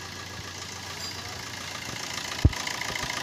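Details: Maruti Suzuki Swift diesel at 134,000 km, with white and black smoke and a suspected turbo failure: steady, even idle, smooth low rumble, no knock or misfire; engine itself normal before turbo, intercooler and injector checks.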